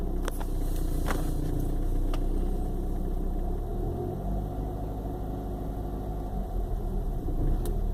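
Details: 1995 BMW 318i petrol four-cylinder idles with a low, uneven, lumpy, sputtering beat and starts hard, as if misfiring, though the spark plugs are new. It is intermittent: some days fine, others shaking. Cause unknown.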